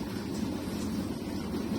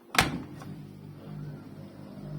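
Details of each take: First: Arçelik 6343 dishwasher, after fixing a loud 'vuuuv' noise it made even when switched off: it now runs a normal wash empty, with a steady low pump hum and even water swirl. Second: Arçelik 6343 dishwasher, switched off with door closed: door thud then low steady "vuuuv" hum that stops when door opens and returns when closed, nothing running, persists after cleaning; source not yet identified.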